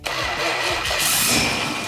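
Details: 1971 Plymouth Cuda, electric fuel pump left off so the engine must draw fuel past it: several quick cranking pulses, then it catches cleanly and holds a steady even rumble; healthy start, no knocks.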